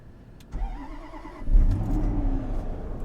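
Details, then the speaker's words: 2006 Range Rover Supercharged, cold start at minus nine after new belts, idlers and tensioners: starter cranks briefly, engine catches at once and settles into a smooth, quiet idle with no belt chirp or squeal; previously very loud. "it's negative nine fired right up and you can already hear that it is nice and quiet it was so loud before with everything is very nice and quiet runs very smoothly"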